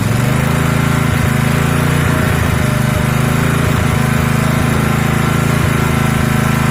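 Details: Honda GX160 single-cylinder engine after fuel got into the oil and combustion chamber, oil refilled not too full, camera facing the exhaust: loud, steady chug at constant speed with no misses or knocks; normal running.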